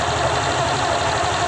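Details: Honda Vario 125 LED eSP scooter idling after CVT disassembly, cleaning and greasing: steady smooth low hum with no knocks, rattles or belt-drive whine; normal idle.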